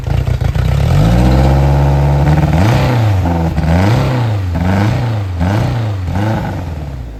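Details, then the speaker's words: 2007 Suzuki 175 outboard with 700 hours, after compression test: revs through throttle blips, note sags briefly as throttle opens before picking up; tip-in hesitation of unknown cause. "Sounds pretty good to me. It's got a little hiccup when you first hit the throttle. I don't know what that is, but I'm sure we'll figure it out."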